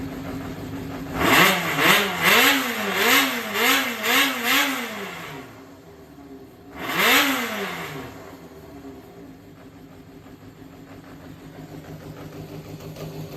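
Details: Yamaha XJR400 (4HM) inline-four complete engine assembly, compression tested, no abnormal noise or white smoke; crisp throttle blips rise and fall cleanly then settle to a smooth even idle, no knocks or rattles; healthy.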